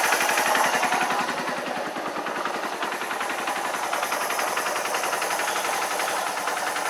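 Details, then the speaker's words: RKV motorcycle project, started without choke after a cheap fake aftermarket exhaust was replaced, warming up: quick, even popping idle beat with no knocks or misfires; normal idle, though it later cuts out and needs choke. "Okay. Sounds better. That warm up, that started on no choke, which is encouraging. I'm just going to let that warm up a little bit."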